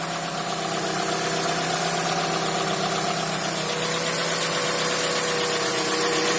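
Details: Mazda CX-5 engine idling with a steady, quick knocking, about four knocks a second.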